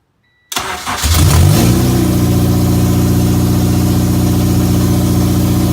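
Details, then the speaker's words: Honda K24A2 engine swap with K20A2 Type S transmission, first start after reassembly: brief crank, catches cleanly, settles into steady even idle, no knocks or misses; sounds good. "Sounds good."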